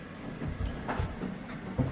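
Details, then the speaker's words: Washing machine mid-wash with about 45 minutes remaining: the turning drum knocks and thumps in an uneven, repeating beat, described as a banging, clunking sound. "여러분 아빠가 빨래 들리고 왔는데 이상한 소리가 계속 나요. 아까 전막 탕당탕 꽝 이런 소리."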